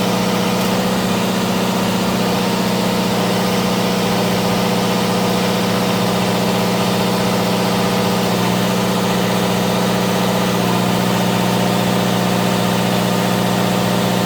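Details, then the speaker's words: Onan DJC diesel generator, started stone cold after sitting a month or two, under load-bank load between several hundred watts and about 11 kW: extremely loud steady drone, even low throb, no misses or knocks, no exhaust smoke; normal running under load. "All right, once again, I got to walk out here so you can hear me because the DJC is extremely loud."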